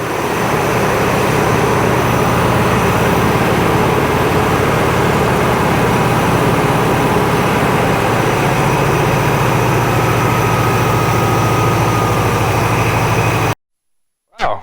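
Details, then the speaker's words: International Scout on a new carby, with an H-clamp restrictor squeezing the fuel line because the mechanical pump was overfuelling. Idle picks up after clamping: steady, even low drone that holds without hunting or stumbling; now idles normally. "you can hear it picked up just picked up from clamping that off hopefully it hasn't clamped it too far off"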